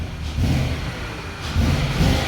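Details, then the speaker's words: 2003 Range Rover HSE V8 at idle, warmed up: a lurching, uneven rumble as cylinders drop out; it runs fine cold but misfires when warm, with the check engine light on, and ignition coils and spark plugs are being replaced. "So this is what happens when it's like on the cold start. It works fine, but once it gets warmer, it starts to misfire and stuff like that. So okay, you can hear the misfire."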